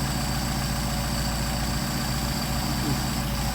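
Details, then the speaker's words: Mercedes 190SL, rebuilt Solex 44PHH carburetors, idle raised to 700 rpm on tachometer with both carbs adjusted equally: smooth, low, steady idle with even beat and no stumbles; nice idle. "Which is just fine. It's a nice idle."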